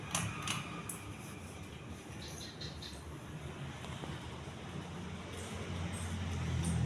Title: Majestic deluxe decorative ceiling fan (after fixed blades and bad capacitor)